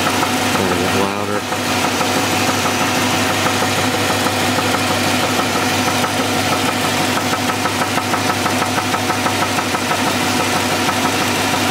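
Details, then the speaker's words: Engine idling with the accessory belt off, heard from underneath the car: a deep, steady knock about three per second over the idle, unchanged with the belt off; definitely a rod knock, worn rod bearing. "that's definitely a rod there's no doubt about it"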